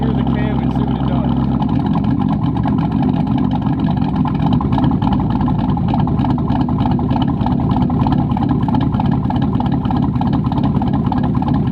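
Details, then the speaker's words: Lifted 2002 Chevy Tahoe with a cammed 450 HP crate motor, after a fix: a deep, choppy big-cam V8 lope, steady and settled with no hunting or stalling. Sounds much better; normal cammed idle. "let's see what happens sounds a lot better y'all heard it here"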